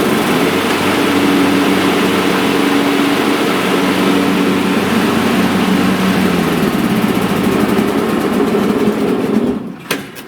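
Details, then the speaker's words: Troy-Bilt/MTD/Cub Cadet riding mower after deck repair and new belt 754-04060, deck engaged: steady even engine drone with blades spinning, no knocks or squeals, then clean shutdown; healthy. "Okay, I left it engaged. I just want to check the condition"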